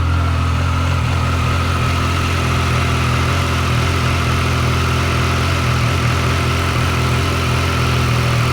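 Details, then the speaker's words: Triumph Tiger 900 GT Pro, about 10,000 miles, and Tiger Sport 800, 4,900 miles, cold after a week unstarted: fast steady even cold idle with no cam chain rattle or slap standing out. Normal cold idle. "It's going to be a cold idle, so it's going to be pretty fast."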